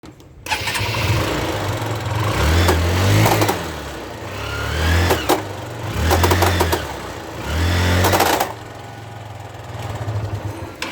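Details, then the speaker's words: Motorcycle revving with a metallic clatter and rattle that swells with each throttle blip. The front driving sprocket is completely worn out and the chain slips over it. "so this sound is coming from here here from this uh driving sprocket front sprocket and you can see this this are completely worn out and this chain slips over this s"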